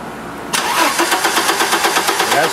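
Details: 1989 Audi 100 Quattro cranking with a spark tester on the coil wire, showing no spark: engine spins over on the starter with an even, fast chuffing beat but never fires; no start, owner suspects a bad ignition distributor.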